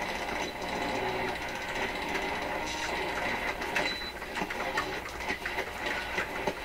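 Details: PYE 39HC shortwave broadcast receiver under repair: a loud, steady, crackling buzz covers the whole band, and the same sound appears on AM. It points to strong interference from an unknown source, possibly via the antenna wire.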